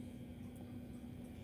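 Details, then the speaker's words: EcoTech MP40 aquarium wave pump under guarantee, running with a low, steady hum and a rough rumbling drone; the pump drive is far noisier than normal, and the maker has advised sending it in for repair. "and get it repaired you know send it in get it sorted out because you spend a lot of money on these pumps and the noise it makes me to be quiet drive this um it's insane what a noise it makes"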